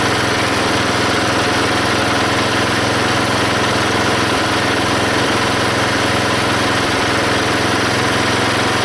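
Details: Belt-driven log splitter small engine after fitting a homemade spring-tensioned idler arm and pulley to stop the belt flying off: steady even drone under splitting load, no stumbling or squeal; hardly any belt or pulley slipping.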